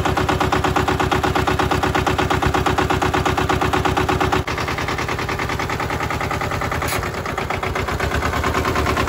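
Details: Mitsubishi MT372 diesel ride-on mower, auction-bought, modified dash without glow plugs, new battery: rapid even chugging of small twin diesel at idle, firm and regular, no misses or knocks; normal diesel idle.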